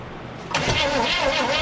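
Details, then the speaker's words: 1974 Chevrolet K10 4x4, sitting 15 years: the starter drags slowly and laboriously with a heavy churning note, never firing despite good spark; timing suspected too far advanced, retarding it didn't help. "the timing seems like it's too far Advanced that's why it's causing the starter to slow down but we uh retired it it doesn't seem like it gets any better"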